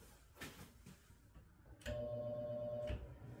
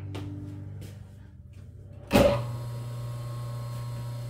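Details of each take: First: Three-phase motor fed single-phase power with no converter, capacitor not yet in circuit: power bumped on, a steady electrical buzz for about a second, no run-up, shaft just balances without picking a rotation; single-phasing hum, motor fails to start. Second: Three-phase motor on single-phase power: click, quick spin-up, then smooth even low hum; starts and runs normally, unloaded.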